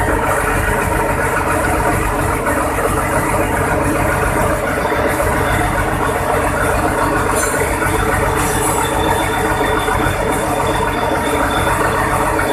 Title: Vta 28 cummins 725hp first start after overhauling by nfc marine